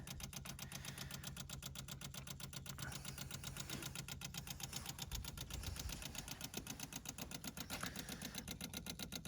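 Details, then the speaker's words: 1972 Rover 3500 P6, 3.5 litre all-aluminium V8 barn find that sat 6–10 years: electric fuel pump priming before first start, steady even ticking near four beats a second, engine off, no fuel leaks found, normal. "Electric fuel pump. Ticking away. Everything seems fine."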